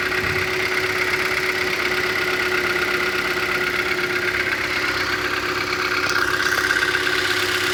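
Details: 2012 Hyundai Elantra, 50,000, after filling with fuel at a Kyiv station: steady idle with light regular tapping about three per second; engine knock at idle, cause unknown.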